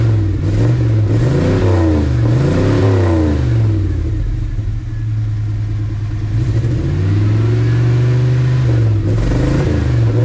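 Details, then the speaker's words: 1980 Dodge W200 Sno-Commander with a swapped 5.9 Magnum V8, cold on choke, four of eight plugs fouled, used carburetor rebuilt incorrectly and re-jetted: revs rise and sag unevenly, lazy and lumpy. Running rich; carburetor suspected. "I had way wrong jets in it when I got it. I monkeyed around with it, put the right jets in it, but see how rich that was?"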